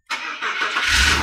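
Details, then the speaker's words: BMW E46 330Ci first start after many hours of work, long cranking expected as fuel pressure was out of the rail; short crank then catches and settles to a steady even idle, no knocks or rattles, normal start and idle. "but at least it's not making horrible noise"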